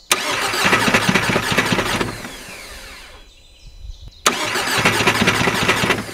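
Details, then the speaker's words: Seat Leon Mk2 2.0 TDI on first cold start after fitting a reconditioned starter motor: two bursts of harsh, uneven cranking with a falling whine between them, never firing; faulty starter motor. "why does that sound so weird"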